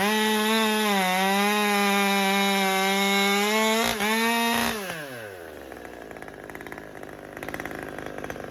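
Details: Husqvarna T540xp Mark III chainsaw, about 6 months old with performance work and auto-tune, warmed up: steady buzzing idle sags once, then pitch winds down and it dies; lean stall later traced to a restricted fuel filter.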